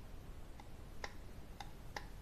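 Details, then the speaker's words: NOEBY JG2500 slow jigging reel cranked hard gives sharp, irregular clicks, about four in two seconds, from too much play in the handle shaft, which is fitted with only a tiny, ill-fitting shim. "there's too much play on this and you will make a lot of noise when you crank this through really hard see"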